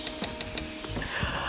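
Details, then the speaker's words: Six-year-old Breville Dual Boiler after descaling and cleaning steam boiler sensor probes: strong steady steam hiss with a few spitting pulses, then tapering; steam boiler working again. "Okay, I'm hearing a lot of noise and activity and towards the back, which is where the steam boiler is. That sounds promising, because I really hope it's not a blown thermal fuse, because that would be annoying to fix."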